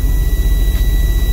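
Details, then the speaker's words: Semi truck at 100 psi air pressure, with an air leak heard under the dash on the driver's side: a steady high low-air buzzer tone over a low rumble. "my air is uh at but I still hear the buzzer so I also hear the air leak from the uh the dashboard or under the dashboard um on the driving site and uh the problem I'm going to show you why is uh uh the buzzer is on and I'm also losing air"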